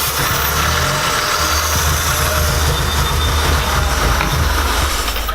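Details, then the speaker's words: Porsche 944 after engine swap, before re-torquing intake: low, lumpy idle wavering and stumbling unevenly; carb cleaner changes idle, suspected intake gasket vacuum leak from intake not torqued down. "while we just realized is we don't think we torque down the intake the second time we have to take it off"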